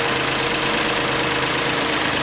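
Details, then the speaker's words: 2009 Toyota Passo 1.0 with 1KR-FE three-cylinder after replacing the timing-side engine mount: steady, even idle, smooth buzzing beat, no thumps or body vibration. "всё двигатель работает на холостом ходу вибрации нет"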